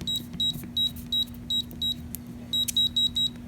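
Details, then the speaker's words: AMSEC ESL10 safe electronic keypad lock: single key-press chirps, then three quick beeps rejecting the old combination after it was changed. "gives me three beeps which tells me the combination is wrong"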